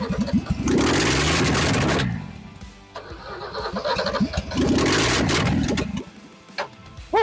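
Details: Ford XP Falcon engine, revived after 35 years sitting, run without exhaust manifold after ignition timing adjusted following a backfire: loud open-manifold bark with crisp revving bursts settling back cleanly, engine hot, firing evenly and running properly.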